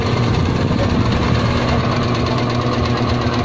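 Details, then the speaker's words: Stand fan switched on: rough, scraping, rattling hum, noisy and turning slowly; the bushing seems okay but needs oil, and a capacitor is suspected. "Parang may narinig akong kumakaskas. Ayan. Maingay na nga siya. Mabagal pa umikot."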